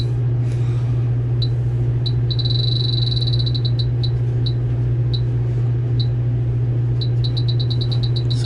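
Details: Beverage-Air beer cooler running warm, likely low on R-134a: leak detector on low setting gives shrill high beeps speeding into a fast continuous chatter over a steady low hum, alarming on refrigerant; evaporator leak, new evaporator needed.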